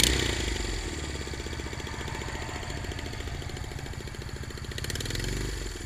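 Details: Honda Rebel 250 at idle: header nuts loosened and fell off, giving a sharp, rapid puffing chuff at each firing, louder than normal exhaust; exhaust header leak at the loose nuts.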